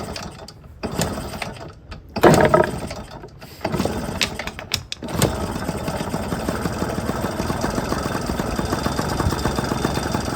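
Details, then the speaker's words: 1997 Yamaha PW50 two-stroke shaft-drive bike, bought as a non-runner: several pulls and brief catches, then an uneven, sputtery buzz at low throttle; runs rough, attributed to an over-oily fuel mixture. "over oily mixture is not going to ignite extremely well throttle's a little low"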